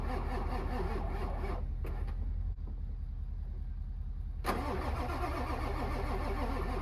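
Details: Ford 7.3 Powerstroke diesel with 740k miles, not started in months, cranked in winter: long, steady cranking with rhythmic starter pulses, a brief pause, then more cranking without catching; hard start.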